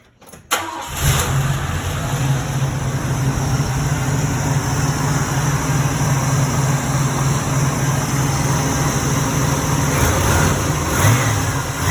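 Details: 1986 Oldsmobile Cutlass 442 after replacing the broken AC belt and refitting and tensioning all belts, fan and shroud: the engine catches within a second to a smooth idle with no squeal or chirp. Normal start and idle.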